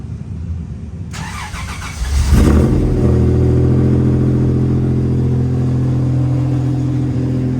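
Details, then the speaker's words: Toyota 3.4 V6 truck camper, cold start: cranks a second, catches with a loud burst, then settles into a steady fairly loud fast idle; temporary exhaust hangers rattle. "Obviously, cold start's a little loud, but it does quiet down quite a bit."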